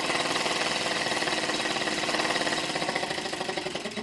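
Fast light ticking beat around three to four a second that wavers and fades unevenly; little engine running poorly and losing pace.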